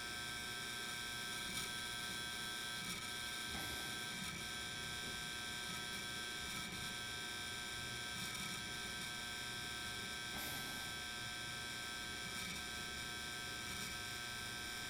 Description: I have bought a new Dell Desktop XPS 8920 and the hard drive sounds very noisy randomly for a short period of time and then goes off.